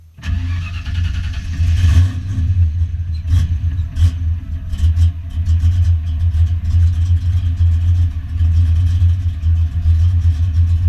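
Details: Foxbody Mustang notchback on Holley Terminator X EFI and custom wiring, after idle screw and fuel table tweaks: catches right away, blips once or twice, then settles into a steady even idle with no misses or knocks.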